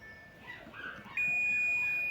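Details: Honda Odyssey A/C compressor, new electromagnetic clutch coil tested with a multimeter (old coil was open-circuit): after a quiet second a steady high beep holds, confirming continuity.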